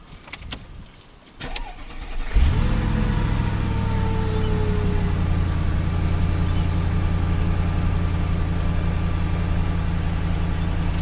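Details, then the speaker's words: 2003 Mercedes S55 AMG on ramps, engine started: whine over idle from the ABC/power-steering hydraulic pulsation damper, which has failed and leaks oil from a weld, causing hydraulic vibration. "you can hear like a whining sound which is a hydraulic vibration because the damper isn't working anymore"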